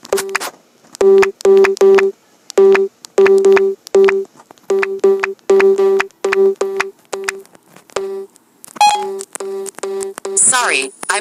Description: I noticed this a while ago every time you hold down the home button and press the volume buttons it makes a strange beeping noise